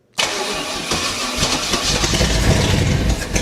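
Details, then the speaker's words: 1969 Chevy 327 V8 on a wheel dolly, first run on starting fluid spray with ATF in the mixture: it catches at once into a lumpy, loud run, revving a little as it settles; running well. "All right. Sweet. We have a good running 327."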